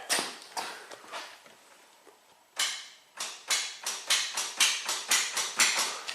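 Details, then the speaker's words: 2009 Honda Accord, about 97-98k miles, cranking sluggishly for weeks then towed in: key to crank gives sharp clicks about twice a second, no cranking whir; starter motor shot. "that's it. This starter is shot."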